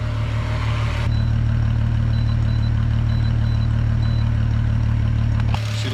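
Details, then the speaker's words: VR6 engine from a 2002.5 6-speed Golf/GTI Mk V, front clip cut off and run outside the car on a drip fuel feed: steady, even low hum with a smooth unbroken beat, no knocks or ticks; normal idle. "She's idling down good. It's not unhappy over there at all."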